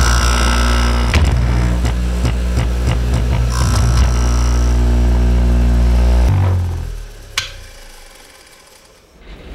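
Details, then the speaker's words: Hayward Super Pump pool pump running after cleaning out the impeller, checked before bearing work: steady, even motor hum with no grinding or rattle, then winds down; sounds normal. "everything sounds fine"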